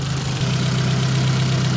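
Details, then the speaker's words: Nissan 200SX S12 dual-coil engine running on exhaust coil only: steady low idle, revs go down and waver slightly but no stutter or misfire; normal idle, runs better on exhaust side than intake. "exhaust only yeah it goes down but do we get the [Music] stutter not as far as I can tell"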